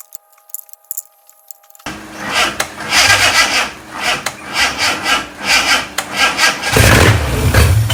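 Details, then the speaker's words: Fake Aston Martin replica kit car, carburetted engine cranked while distributor turned for timing: silence then steady cranking about ninety pulses a minute, never firing; no-start traced to gummed carburettor linkages, cleaned afterwards. "So I started undoing the carb, and then I looked at the linkages behind and they're really gummed up."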